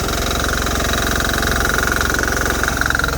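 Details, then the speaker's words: Hot-running Bolens HT-23 tractor idling: thumping about 220 beats a minute with a loose metallic chatter from an exhaust sliding side to side on loose mounting bolts. "Yeah, she's getting pretty loose down there. The whole thing's sliding side to side. Definitely have to tighten up those bolts."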